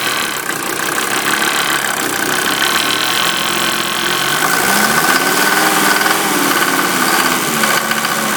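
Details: 1988 Mercedes 190D diesel running on waste vegetable oil, rough idle with a harsh metallic clanging louder than normal injector knock. It also has heavy tailpipe smoke and diesel smell in the cabin; source unknown, owner asks if normal.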